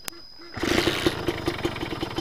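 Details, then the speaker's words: Kawasaki Ninja two-stroke motorcycle engine just after starting, with a rough idle; a quick rattling "kemletek" knock is heard when throttled, attributed to the piston: piston slap. "Nah itu pas di gas pas di gas itu terdengar ada bunyi ter gitu ya ter Nah itu memang di bagian piston ya"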